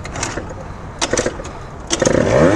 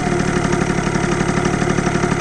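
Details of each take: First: 70cc Yamaha Zuma two-stroke scooter with new CVT parts on a test ride, fuel very low: sharp throttle blips then an uneven, wavering idle struggling to hold steady; rough idle, owner suspects it is nearly out of gas. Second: 70cc Yamaha Zuma two-stroke scooter with new CVT parts, just refuelled after nearly running out of gas: even, steady burble with no hunting or stumbling; idles normally again.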